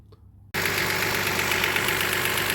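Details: 2002 Toyota Highlander at idle, scope and amp clamp on the factory ignition coil, with new coil and plugs already fitted. The engine runs at a steady, even beat with no stumble or miss, so it is not misfiring at this moment.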